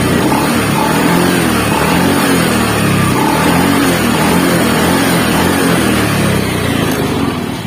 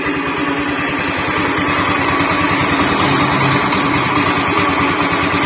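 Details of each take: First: Honda Beat FI scooter after repair, owner's earlier rough helicopter-like noise now gone: small single-cylinder engine idles and blips smoothly and evenly with no rough chopping drone; normal idle. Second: Honda Beat FI scooter before repair, running: steady harsh, gravelly rumble from the middle of the engine; worn crankshaft bearing.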